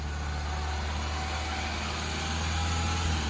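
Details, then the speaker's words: Peugeot RCZ at warm idle, about 70°, after replacing the pulley and belt: a steady smooth rumble with the earlier knock completely gone. Normal warm idle. "That's completely gone, that noise, hasn't it?"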